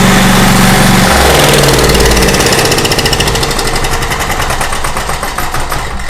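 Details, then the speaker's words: Small Craftsman portable generator after governor readjustment, started on choke without starter fluid: catches quickly and settles into steady even run, no misses or knocks; normal start and run. "Man, I am just thrilled to death with that. That sounds perfect, and I'm good to go."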